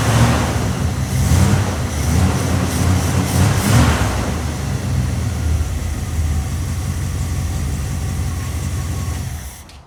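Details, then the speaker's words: 1971 Dodge Charger with 26k original miles, stored 26–27 years, first start after gas was poured down the carb. Low, lumpy, uneven running with surging revs; owner suspects a gummed-up carburetor. "yeah sitting for 26 years and she fired up just like that i bet you the card might be a little gummed up"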